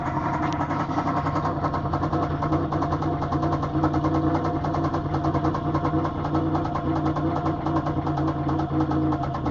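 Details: 2004 Grand Prix GTP CompG, topswapped XP-cammed L26 V6 with 1000 km on the setup, idling: light, loosely regular tapping about twice a second, suspected bottom-end knock from a spun bearing.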